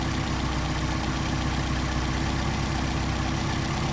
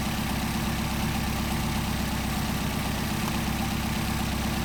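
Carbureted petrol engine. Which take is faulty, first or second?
first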